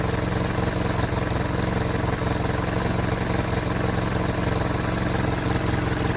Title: Bruit moteur Hotchkiss M201... Est-il normal ?